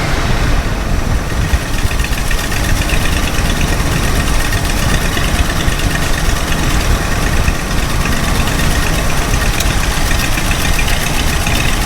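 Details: Ford F250 460 V8 with new Holley Street Avenger 670 CFM electric-choke vacuum-secondary carb: deep lumpy, shaking idle; idle screw gives either too high or too low, no middle ground. Original Holley/Motorcraft carb refitted later idled perfectly.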